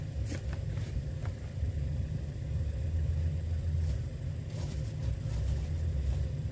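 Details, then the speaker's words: Old Ford backhoe diesel after its dry tank was refilled and the injector lines bled: low, heavy, sluggish starter churning that never catches; the Red Top battery is too weak and small, so jumper cables are needed. "battery is about that we're probably going to have to put the jumper cables on"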